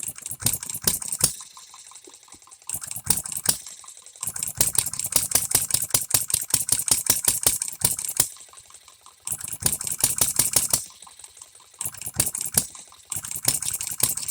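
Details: Economy hit-and-miss engine, new shop-made piston and rings: bursts of sharp firing pops separated by silent coasting gaps, irregular unsettled pattern; first time it has hit and missed continuously, still needs adjustment.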